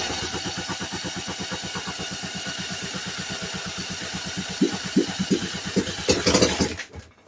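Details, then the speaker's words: Vintage late-1950s/early-60s one-horsepower Briggs & Stratton with oil-bath air filter, sitting 10+ years: fuel poured into carb, quick uneven pops catch briefly, stumble louder, then die; not picking up fuel, owner suspects the pickup tube. "Seems to run when I put gas in it. Yeah, if I put gas in the carb, it'll run."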